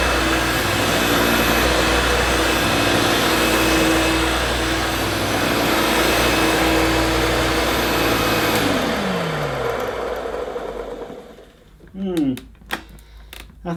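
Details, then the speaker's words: 1971–74 Hoover Dial-A-Matic 1149 upright vacuum, new bag, carpet suction on max on long-pile rug: loud steady roar with a gritty edge and faint whine, then winding down; owner thinks motor okay, suspects agitator. "the motor sounds okay i think the noise is probably coming from the agitator"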